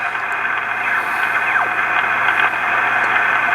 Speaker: But as I turn the VFO, I can get spots that gets worse.